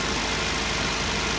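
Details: 1990 Acura Integra 1.8 engine that had a noise at the upper left of the engine; it idles steadily with a smooth hum, no chirp, squeal or knock.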